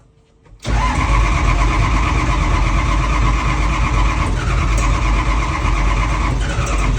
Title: Hard starting 7010